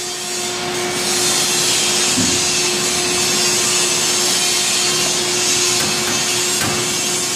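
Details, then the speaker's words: Large four-way press brake with 5-inch V die rated 100 tons, run at 550 tons bending 1-inch 17-4 plate: steady hiss with rough creaking building; machine frame cracking under overload, plate not bending at all. "you can hear the creaking try one more time oh yeah The Machine's literally cracking"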